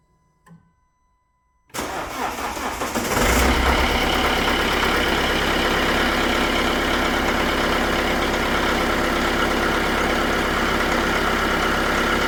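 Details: Car cranking after a -11°C night on a weak battery (about 12.2 V, dropping below 10 V when cranking); sluggish crank about 1.5 seconds before firing into steady even idle; hard starting, weak battery.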